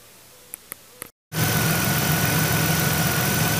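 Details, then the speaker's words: 2001 Monte Carlo SS 3.8L 3800 Series II, after upper and lower intake manifold and valve cover gasket replacement, coolant flush, new thermostat, oil and air filter: a few clicks, engine catches and settles into a smooth even idle, sounds good. "other than that sounds pretty good thank you so it looks like this one's"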